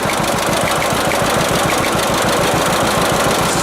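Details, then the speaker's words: 1946 John Deere AR tractor at idle after a carburetor adjustment that reduced the popping: loud, steady thumping with a faint extra knock now and then; owner suspects a valve out of adjustment, not confirmed. "i adjusted the carburetor a little bit this morning and i got a little bit of that popping noise out you can still hear the odd time"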